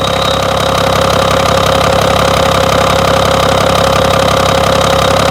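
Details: BMW engine at idle: loud steady running with a regular knock of about two or three beats per second; cause not identified.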